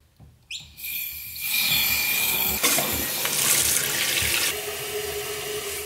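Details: Toilet cistern refilling through a newly installed universal fill valve, fitted to replace a noisy one: a steady rushing hiss with a faint thin whistle as water flows in; normal refill.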